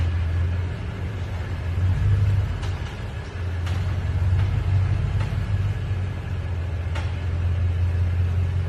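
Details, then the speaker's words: 2020 Toyota Tundra at slow speed over uneven surfaces, cold or warm: low rumble with sharp irregular pops and creaks, plus one pop on entering after sitting; cause unknown, a similar case was the spring and shock assembly. "it makes popping or creaking multiple noises when driving in and out of my work parking deck and in and out of my driveway like when it's uneven surfaces at slow speeds"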